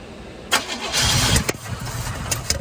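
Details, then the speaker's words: 1977 Chevy K10 truck that sat 14 years: cranking catches with a short ragged burst of firing, then sputters and dies instead of settling to idle. Fires but won't keep running; lack of fuel pressure or timing suspected, not confirmed. "Yeah. It's just we don't have pressure to keep it running. But it fired."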